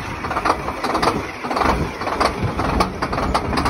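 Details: Cabover truck diesel cold start in snow: slow, uneven cranking that catches and settles into rough, clattery idle; normal diesel cold start.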